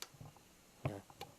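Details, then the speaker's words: Old Yamaha Vixion fuel-injected motorcycle, left relay (engine cut, key on/off, starter circuit) switching: two sharp clicks a third of a second apart, soft when switched on and louder when switched off; normal relay operation. "Nah, saat dinyalakan bunyinya pelan, tapi saat mati, nah, kenceng ya."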